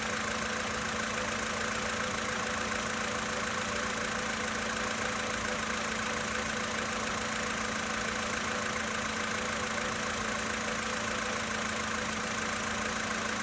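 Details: 2013 VW Polo Sedan Sochi Edition, 65,000 km, cold start idle: fairly regular tapping about three or four per second over the idle; internal engine knock when cold, cause not pinned down.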